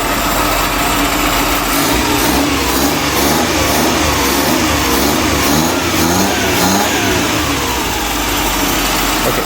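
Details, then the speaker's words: Restored 1985 SS80 carburettor petrol engine, after it was started and the timing corrected: revs blip up and settle into a fairly steady idle with no obvious knocking; it is running normally. "അപ്പോൾ വണ്ടി സ്റ്റാർട്ടായിട്ട് നിൽക്കുകയാണ്, ഐഡിയലാണ്."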